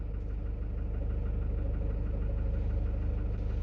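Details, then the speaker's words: Citroen Relay diesel van at 12,800 miles, recorded inside the vehicle, tapping since about 4,000 miles and worse when warm: steady idle with a crisp even tap about three times a second, fading above about 1300 rpm then returning louder; cause unknown. "and what we're listening for is the tapping like that from the engine. Now, as I rev the engine to just over, say, 1300 RPM, the noise will diminish, and then it will start to regulate itself again and come back in, getting louder as we go."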